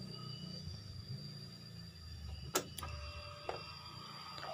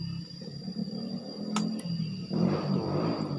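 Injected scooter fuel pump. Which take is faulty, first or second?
second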